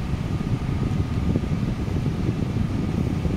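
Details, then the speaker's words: Toyota Corolla with a replaced evaporator, charged with refrigerant without a scale, blower on third speed: after the clutch engages, a constant rough whirr with a thin steady tone over the fan; the compressor is badly worn. "ahí se escucha que activó este cliente y con un cliente fijo tiene el compresor ya con mucho desgaste y suena"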